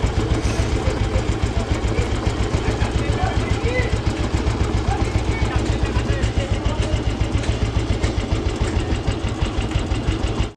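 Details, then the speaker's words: Restored old vintage Royal Enfield Bullet 350 single, just kick-started: even relaxed thump-thump about 3.5 beats a second, no tapping or rattle after tappet adjustment; engine silent, normal idle. "Engine के अंदर बिल्कुल भी sound नहीं है। जो भी थी हल्कीफुल्की वो तो सब सेटिंग करी थी अंकल ने यहां से टैपिड हो गई तो वो सब खत्म हो गई।"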